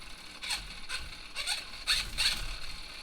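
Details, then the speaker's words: RC Class 1 crawler on a new ISDT ESC70 during Bluetooth programming: the motor, which should sit still, twitches back and forth with irregular high chirps about every half second and won't stop until the ESC is power-cycled. "You guys hear that? This motor is actually just cocking back and forth"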